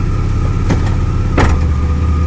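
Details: 2002 Chevy Blazer at idle, shifting from park into reverse and from reverse into drive: steady idle broken by heavy clunks as the car jerks. Gear oil leaked and drivetrain vibration is present; cause unclear.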